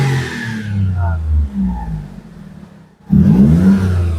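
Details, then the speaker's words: Perodua Myvi 1.0 petrol after VVT solenoid replaced and ECU reset, restarted: two clean throttle blips with no misfire/stumble (semput) or hesitation; scan shows no fault codes; normal. "tidak ada sudah semput-semput ya. Jadi bila kita scan tiada sudah full code ya."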